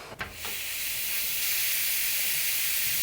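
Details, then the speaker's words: Cold home heating radiator being bled with a key: a click as the bleed valve opens, then a steady high hiss of trapped air escaping until water flows. "you hear that hissing that is air in the radiator once water starts to come out close the valve back off"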